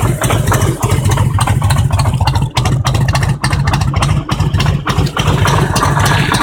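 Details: Harley-Davidson Road King Twin Cam 88 V-twin at idle, around 50k miles: loping beat with sharp metallic knocks riding over it, cause unknown.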